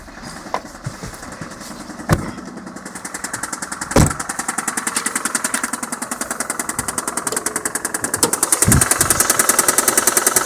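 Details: Mazda Xedos 9 at steady idle, loud under the hood: sharp regular knocking, revs even and rising freely on throttle; engine knock, source not yet found.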